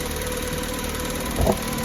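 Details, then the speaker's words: VW Polo 6N petrol, previously running rough: steady, even idle with a smooth low beat and one brief bump mid-clip; sounds just like it used to. Normal idle. "Oh, it sounds brilliant. Sounds just like how it used to."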